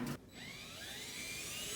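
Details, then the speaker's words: Circa-2006 dryer running: loud, steady, high-pitched squeal getting worse, from a faulty bushing on the idler pulley; fixed by belt and idler replacement. "And you can hear that. It sounds absolutely awful."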